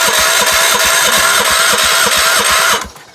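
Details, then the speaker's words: Gravely tractor with a cleaned carb, spark plug and points and a shot of carb cleaner; it previously ran only on full choke. Steady cranking chug around three beats a second, a few sputters that never catch, then winding down. Owner suspects carburetor issues. "Now just why won't it start is the question. Let's see. Close, guys, close. That's the closest we've been yet."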